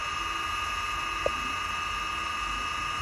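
An even, high-pitched propeller hum holds a constant pitch, with a single faint tick; the drone is spinning smoothly with no rattle.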